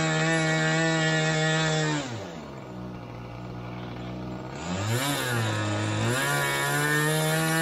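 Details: Glow engine in Ewan's Limbo Dancer model plane on its first engine run-up, needles opened a bit: it screams steadily at full throttle, drops to a burbling low idle, then picks back up. Very rich at the bottom end; top end not too bad, with RPM lower than expected.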